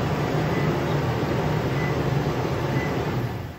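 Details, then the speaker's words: 2020+ 5th-gen Toyota 4Runner remote-started via Start-X kit, first start of the day after fuel pump prime; smooth, low, even idle hum fading as it shuts off – normal idle. "All your lights will flash. You can hear the fuel pump prime, and it starts up."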